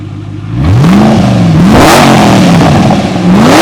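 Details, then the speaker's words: Supercharged Ford GT after repair, throttle blips: clean supercharger whine rising and falling with each blip over a strong exhaust note; normal supercharger whine. "Yeah. And right here is where you hear the supercharger."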